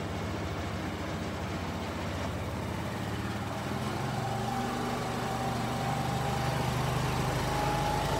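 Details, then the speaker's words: Kymco scooter, single-cylinder, after reconnecting the vacuum fuel pump, refitting the carburetor and adding fresh fuel: quick even putter with no misses as idle is turned down; normal idle after repair. "that sounds considerably better see if we can turn the idle down a little bit maybe too much right there No definitely sounds better"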